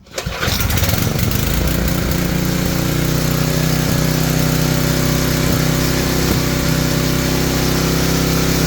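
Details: Tecumseh-engined generator sold as non-working, after new fuel line and reconnecting the oil sensor brown wire: engine catches on first pull and runs steadily without stumbling or dying.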